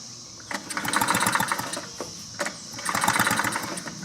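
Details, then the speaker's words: 2-cycle blower with a new spark plug, plug grounded to a socket for a spark check: two whirring, ratchety recoil pulls with no firing; no spark seen. "and I don't see any spark and he's got a new plug in here and it did run for a minute"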